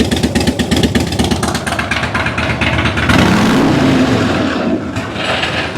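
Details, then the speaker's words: 2006 Harley-Davidson Dyna Wide Glide, stock plug wires: choppy, uneven revving, exhaust beat breaking up and stumbling at higher revs under throttle; owner suspects fuel starvation, the pump primes but gurgles and sprays inside the tank, not enough pressure to keep up with rpm. "So when we get on the gas, it's not giving us enough pressure to keep up with the RPMs."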